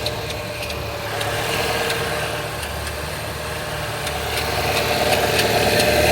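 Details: Opel Z20NET engine at idle: light uneven ticking about three to four per second, caused by the secondary timing chain tensioner; fix is replacing chains, guides and tensioners.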